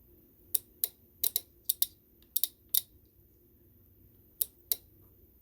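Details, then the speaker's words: Golf cart charger (Powerdrive) relay on the bench: crisp, dry clicks as the DC cord is plugged into the cart, putting 48 V on the coil wires; the relay pulling in means it is working properly, regardless of wall power. "That's what happens when everything is working properly, when you plug your DC cord into your cart. It's got nothing to do with whether it's plugged into the wall or not."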